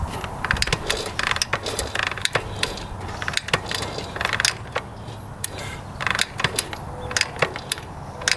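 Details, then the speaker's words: 1982 Honda XL500R dirt bike, believed stored about six years, being kicked over: irregular ratcheting clicks and knocks with no firing, turning over but not starting; cause not yet confirmed. "so we'll kick this thing over see what it sounds like and then we'll start working on it"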